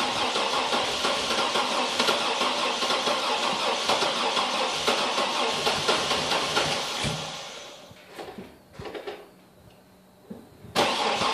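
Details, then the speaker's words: Chevy TrailBlazer V8 at 170k miles, cold start with suspected dead cylinders: the starter churns about three turns a second for seven seconds without the engine catching, then stops; cranks but won't start, cause not confirmed. "Looks like it's not going to start today."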